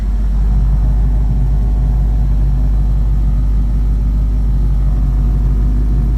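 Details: 1972 Ford Mach 1 V8, restored, about 200 km driven; deep steady idle with even low pulse about three beats a second, no misfire or lope, idling smoothly.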